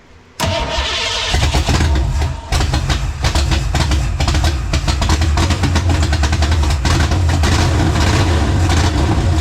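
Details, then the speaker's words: 1967 Mustang V8 drag car, first start after about 30 years not running: cranks, catches, then settles into an uneven, choppy, loping idle with some smoke; lopey idle from an overly aggressive camshaft. "That's got a juicy cam in it, buddy. It's too much cam, huh?"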